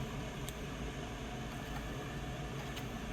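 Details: 2011 Dodge Grand Caravan rear blower turned up, key on: a constant even whoosh of air over a low steady hum, no ticking or rubbing; normal blower operation.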